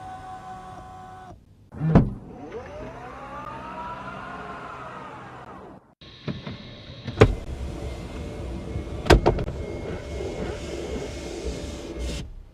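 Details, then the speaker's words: Tesla Model Y L six-seater power seat: thin electric whine rising and holding steady for a few seconds while the seat travels, then stopping; observer unsure whether the noise is normal. "Is Is this supposed to make that noise? There's like a weird wine there."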